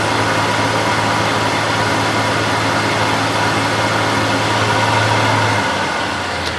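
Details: New Harvey wood lathe, before bearing replacement, at about 1639 rpm: spindle runs with an even low hum and smooth motor hiss, about 64 dB average, similar to the older lathe.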